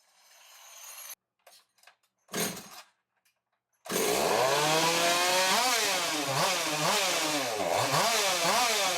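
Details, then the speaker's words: Echo chainsaw hybrid, 93cc 56 mm cylinder with boost ports in 60cc chassis, newer 620 carb: revs hunt up and down about once a second; owner suspects an air leak, possibly thin rotted crankcase, pending pressure-vacuum test. "well I fiddled with it a little more it's still acting up so we're not gonna do the dino runs today and try and get it all figured out pretty sure it's got air leak"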